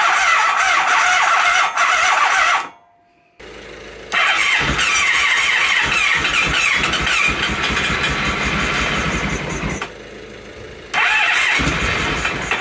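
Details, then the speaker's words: 1997 Honda Pan European ST1100, long neglected, plugs reinstalled, on a jump pack with flammable starting aid: long squealing cranking bursts with short pauses and no catch after a single backfire; extended cranking, no start. "all right one last go and I think we'll stop torturing it a I lied one more one more go I think we'll call that a start time to stop torturing the electrics"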